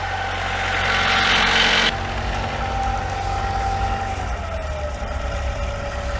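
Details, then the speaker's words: Diesel inboard engine in a Formosa 41 sailboat at idle, with charging at 14.3 V and good oil pressure and water temperature after a brief transmission grind: an even, steady idle with a regular firing beat and no knocks, misses or rattles. Normal idle. "Sounds good. Yeah, runs good."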